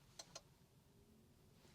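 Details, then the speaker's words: MG ZS EV Gen 2 long range, at 50% charge, starting Vehicle-to-Load discharging from the screen: two faint quick clicks in a quiet cabin; discharge relay engaging normally. "As you can hear, a small beep from the vehicle or small click from the vehicle drivetrain. It will start refreshing and start working for us, just like that."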